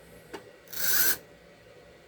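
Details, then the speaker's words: Restored Tyco Santa Fe F unit locomotive on track: short half-second burst of raspy motor whir, then it cuts out again; motor runs only intermittently, owner suspects bad contacts. "It went again. Contacts must not be very good. That's going. Eh, for goodness sake. Something's wacky with the contacts,"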